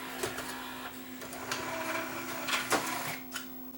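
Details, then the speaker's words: Yamaha CDC 705 5-disc CD changer after replacing the slippery drawer belt with a near-size substitute; steady motor hum, light clicks and smooth whir as the tray travels, no slipping or stalling; disc drawer now works normally. "So there's the unit now, new belt in place. It's not the exact belt, as I didn't have the exact belt for this but at least this one here's got a little more elasticity than the original one, and it should do it for a while."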